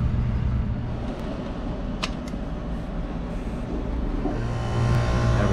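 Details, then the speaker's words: McQuay water-source heat pump on R-22 in cooling mode, after a contactor replacement and a strainer clean; it had earlier tripped on high head over 300 psi. A steady low hum with no rattles or surging, at 58 psi suction and 189 psi head. "running got a 58 pound back 189 pound head this is refrigerant 22. let's give it five to ten minutes to balance out but this is a good thing pressure is much lower than before"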